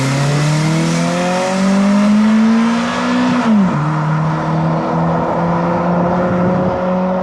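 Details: Toyota Celica GT-S with a repaired, previously damaged TRD muffler, heard during a lift pull: engine note climbs, dips on lift and climbs again. The exhaust stays deep, quiet and restrained, becoming noticeable past 4,000 rpm, with no rasp or leak.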